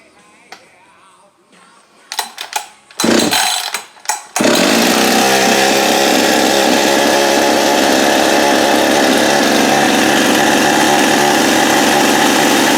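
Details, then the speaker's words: Husqvarna 562XP chainsaw, which came in not running with low compression and a marked piston, after repair and reassembly: catches after a few pulls, steady high buzz, returns cleanly to idle; no more air leak. "yep that's gonna be a good runner right there that sounds right comes right back to idle the way it's supposed to you know which means it has no more air leak"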